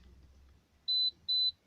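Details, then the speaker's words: Holden VZ Crewman with a Hayman Reece towbar, intermittent reversing sensor, switch wires bridged manually at the 7-pin socket: two short, clear high beeps. Sensor responds normally, so the fault lies in the reed switch or wiring; the wiring checked out okay. "Beep, beep. So that indicates to me that there was something wrong with either the reed switch or the wiring, and the wiring checked out okay where I've attached those alligator clips."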